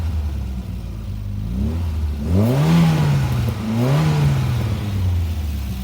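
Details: 1984 Volkswagen GTI four-cylinder, throttle worked by hand in the engine bay: smooth engine climbing cleanly through two quick blips and settling back to an even idle; normal revving, healthy.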